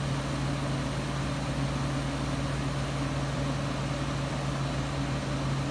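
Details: 1995 Friedrich KStar 8,000 BTU window air conditioner, Q-chassis, R22, rotary compressor with a loud start kick then quiet: low even hum with soft fan rush, no knocks or rattles; compressor and fan running normally.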